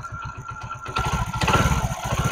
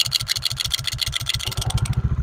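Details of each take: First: Honda Pridor 100cc motorcycle after repair of bad engine noise by opening the magnet, sanding the face and refitting it with a ₹20 fix: steady thumping idle, brief throttle pickup, even beat with no clatter; healthy. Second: Honda Pridor 100cc single-cylinder motorcycle at idle: sharp metallic rattle bursting with each firing pulse, so bad it sounds like the whole engine is finished; caused by the flywheel magnet rotor, fixed by opening the magnet; noise eases when revved.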